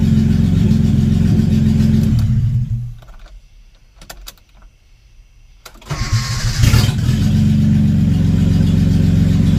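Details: Datsun 280Z first start in years, cylinders fogged with oil beforehand: loud, raw, rapping run fades out, then catches and revs again; harsh bark because there is no exhaust, just an open manifold.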